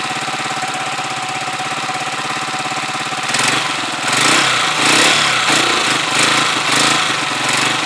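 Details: Huoniao HN125 single-cylinder motorcycle with a newly fitted replacement carb, warming up from cold with the choke off and the idle raised slightly. The beat firms up and quickens a touch and runs steadily. Normal warm-up idle.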